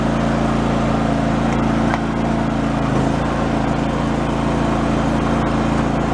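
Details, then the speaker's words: Yard-sale John Deere mower engine after fitting a new fuel pump to cure carb flooding: steady, even running without surging, stumbling or dying, no issue since reassembly; normal running. "the system seems to be working fine and has not had an issue since I put it back together"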